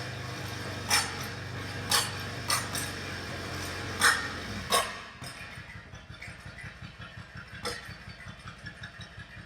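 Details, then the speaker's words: Yamaha V Star 1100 V-twin bobber build idling after a change in intake airflow with the carbs left unadjusted: sharp, irregular exhaust pops and bangs, backfiring from a lean mixture with unburnt fuel igniting in the pipes. "So it's running very lean, and that's why it's backfiring. So there's unburnt, so it's not firing properly in each of the cylinders because there's not enough fuel."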